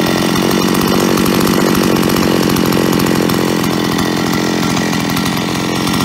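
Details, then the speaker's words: Solo 644 chainsaw, about 20 years old, running with its cover off after a worn piston (0.12 mm cylinder clearance) was replaced. It runs smooth and even; the hard metallic rattle heard before at idle is gone, leaving only a faint trace. Normal running. "ja ich denke man konnte den Unterschied deutlich hören also das harte klappern ist weg und denke mal so ein ganz ganz kleinen Hauch"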